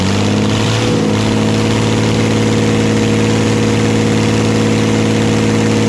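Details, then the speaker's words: Old Dodge 12-valve Cummins diesel, just started with ether while smoke came from the starter: it settles into a steady idle with a coarse low growl and light chatter over the firing beat. Owner calls it unfavorable; the source is unknown. "there is some kind of an unfavorable growl probably a real bad noise I don't know what the [ __ ] it is that's chattered around in there"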